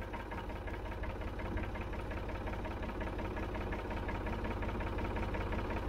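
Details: 1965 Ford 3000 diesel tractor, first start after about 10 years sitting: heavy regular clatter roughly three knocks a second over low rumble at idle; very noisy knocking idle, cause unknown; lift arms and PTO work.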